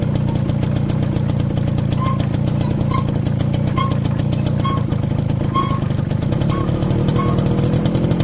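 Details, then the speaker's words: Motorcycle rear drum brake after new brake shoes fitted: sharp, high chirp about once a second while riding, squeaking from the rear wheel. "ये देखा आपने कितनी बुरी आवाज़ आती है कि आप लोग खुद अकेले जा रहे हों, फैमिली साथ हो, अजीब अजीब आवाज़ें पिछले व्हील से आती हैं।"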